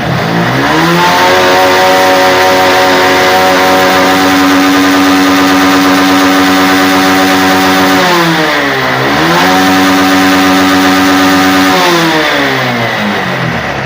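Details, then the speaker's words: Honda X-Blade motorcycle single after replacing local air filter with genuine Honda filter: rises cleanly to high revs, drops and climbs again smoothly with no stumble or blockage; low pickup fixed. "சூப்பரா rising ஆகுது எந்தவிதமான பிளாக்கேஜும் இல்லை"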